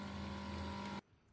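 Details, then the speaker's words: Soybean milk grinder with 200mm grinding stones, running with the water faucet on: steady motor hum with a light hissy scrape as the upper and lower stones just rub, showing the correct gap set by the handle. "You must first turn on the faucet switch and then adjust the distance between the grinding wheels of the grinding machine through the handle until you can hear the the sound of the upper and lower grinding wheels rubbing against each other."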